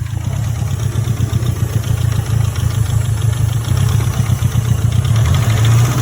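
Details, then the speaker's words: Mitsubishi Evo 4 4G63T petrol four-cylinder idling roughly with busy ticking clatter from the cylinder head over a lumpy rumble; wrong-length VW 1.8T plugs replaced fixed a misfire but idle still poor, head being removed. "But I just don't like the noises coming from this head whatsoever. It sounds like my flipping Pajero. Like the Pajero sounds more, like it sounds quieter than this."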